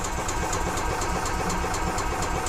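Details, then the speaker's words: 2015 EZGO Express S4 gas golf cart, sat over winter, cranks but won't start; carburetor cleaned, cranking to check for fuel; fuel looks milky with water in the carburetor. Starter turns the engine evenly, about four beats a second, never catching. "I want to run the engine or crank the engine over and see if we have any fuel that's coming out"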